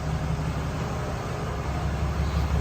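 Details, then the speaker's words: 2020 Ram 2500 Cummins diesel restarted after the oil and fuel filter change, left running a minute to check for leaks. A steady low idle rumble with no knocks, misses or hunting; running evenly. "I'll start it back up again here. And I'll let it run for a minute and we'll see if I have any leaks."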